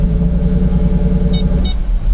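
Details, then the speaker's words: 2007 Nissan Maxima 3.5L that won't accelerate and stalls, throttle body and coils already replaced, one coil unplugged, in reverse: low, labored rumble that sags and nearly dies; bogging. "okay guys so we got this 07 I think needs on Ultima and they said that uh it don't accelerate so if you give a guess he like bog down"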